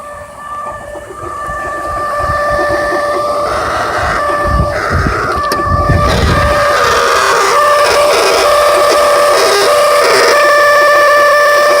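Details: 2003 Saturn Vue 3.0 AWD engine running with a steady high whistling whine holding its pitch; bad water pump, with timing belt replacement planned.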